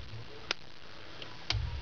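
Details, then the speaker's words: Audi UrS4 OBD I output test with connectors jumped by paperclip: N75 boost control solenoid cycling, crisp single clicks about once a second over a quiet background; normal solenoid actuation. "there you go now so um 75 down here now it's down here click clack click clack"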